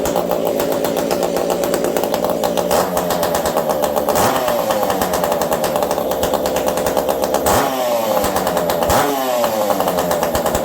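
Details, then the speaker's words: Ported Ironhorse 372 XP chainsaw on a cold day, previously tuned in about 70-degree weather: high screaming two-stroke revving, mostly smooth with a slight stumble on throttle blips; low-speed mixture slightly lean from the cold, low jet richened. "Could feel just the slightest stumble, just a little on the lean side, and that is just because it's cold out today."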